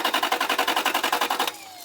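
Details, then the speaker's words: One-owner 1992 Toyota V8 saloon, 11k miles, long stored in a barn, cranked after extra fuel was added: even starter chugging at about ten beats a second for 1.5 s with no catch. Immobilizer suspected of cutting the electric fuel pump. "no that's definitely not even slightly firing which means I'm sure it's immobilized it's cut the electric fuel pump that would figure wouldn't it"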